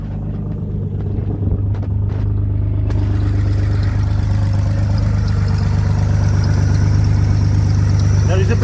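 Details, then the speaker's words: BMW E46 Compact M54B25 engine, test start before removal for a truck swap: steady, even idle with a deep hum and a faint high thin whine; owner suspects an alternator bearing, engine otherwise running fine. "of a noise coming from bit of an noise coming from somewhere s it's like the alternator it's really it's like a bearing noise actually"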